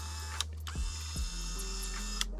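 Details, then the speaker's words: Original 1989 Toyota Van power window motor (regulator) on the bench, run up and down; slightly rough buzzy whir with small pitch shifts, noisy but less bad than driver's side, being compared with replacement motors. "Let's see what this sounds like when I go up and down with it. Not nearly as bad as the driver's side."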